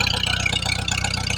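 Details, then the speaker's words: 1948 or early 1949 Farmall H tractor, first start after long storage, running on partial choke: uneven, loping low thump with slight stumble; rough running while fuel works through, oil pressure good. "oh we're making some progress here I got to run it with the choke on a little bit but maybe if I get enough gas run through it it'll start acting"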